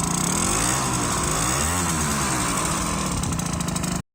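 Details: Aprilia SR50 Morini two-stroke scooter, rebuilt from scratch, on test drive: harsh, raspy, spitty buzz from an exhaust leak that started at a different spot.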